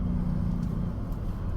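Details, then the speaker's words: 2019 Ford F-150, 2.7 L EcoBoost twin-turbo V6, 10R80 10-speed automatic, while driving: steady low growl under road noise, louder steering slightly left and fading steering right; suspected worn right front wheel bearing. "I believe the right front wheel bearing is making a growling noise. It's more apparent when you're steer steering just slightly to the left. So, it's like you're putting an outward force on that right front bearing."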